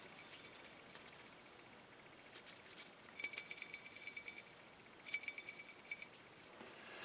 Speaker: So we know it's gotten hot. We can also hear the filament inside is rattling.